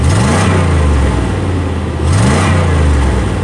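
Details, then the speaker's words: 1992 Chevrolet/GMC truck that previously wouldn't crank, stumbled and backfired: after the repair, two clean throttle blips rise smoothly and settle back with no stumbling or popping; it is running healthy, and no fuel pump was needed. "That's textbook. The motor sounds really good, and it's running great."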